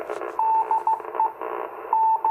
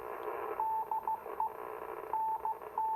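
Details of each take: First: Icom IC-251A 2-meter receiver, over 40 years old, on a 21-element Yagi antenna: a keyed beacon tone about 40 over 9, over a raspy buzzing hiss. The buzzing is power line noise picked up by the Yagi. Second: 40-plus-year-old Icom IC-251A 2-meter all-mode radio receiving a 2-meter beacon through a Yagi: a clean, steady Morse beacon tone over light hiss, with slight power-line buzz and no distortion or drift. Receiver audio is normal.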